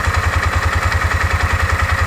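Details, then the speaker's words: Four-wheeler idling: steady, even low thump with no misses, seeming slower than the stated 1100 rpm idle; it shifts fine. Owner unsure why, possibly related to a broken part; slow idle. "and then i don't know if anybody's noticed my four-wheeler's been idling here pretty good there doesn't sound like it's idling that fast to me"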